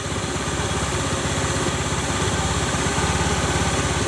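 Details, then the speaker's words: Honda automatic scooter (Beat/Spacy/Scoopy/Vario type) after grinding the bent rear CVT shaft end that caused harsh noise; steady single-cylinder idle putter with no grinding or rasp from the belt drive: CVT noise gone, normal idle. "sudah hilang ya teman-teman suaranya"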